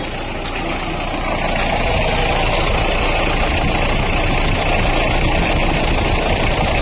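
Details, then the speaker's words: Mahindra Bolero diesel idling, bonnet open: rough, gritty whirring rattle and vibration at the fan and water pump, from a damaged water pump bearing caused by an over-tightened alternator belt. "उसके अंदर एक अलग सा vibration है। जिस वजह से गाड़ी जो है ना इस तरीके का अजीब सा साउंड कर रही है। क्योंकि इसके बेरिंग जो है ना वह डैमेज"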